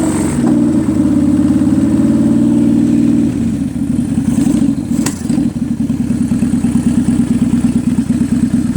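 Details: 2003 Kawasaki Vulcan 800 Classic V-twin, warmed up with the choke in, after an oil change and Seafoam in the gas: uneven loping beat with irregular slaps and a sharp pop, an apparent misfire spitting back through the carburetor and slapping the air filter assembly, with smoke.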